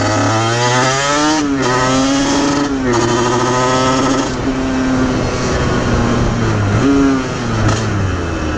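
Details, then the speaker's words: Aprilia RS50 / YZ85 hybrid two-stroke after clutch changes, healthy at idle: under hard throttle revs climb then stumble and drop back repeatedly, burbling and chugging with no power; breaking up under load, suspected tuning issue. "you can hear when i really get on it it just breaks up immediately it's it starts burbling and then chugging and then just doesn't want to carry on with power"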